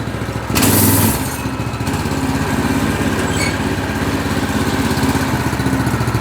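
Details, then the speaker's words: Replacement single-cylinder go-kart engine on fresh gas, started after the original blew. After a brief loud catch it settles into a steady, even putter with no misses or knocks; it runs healthy. "That's a good running engine."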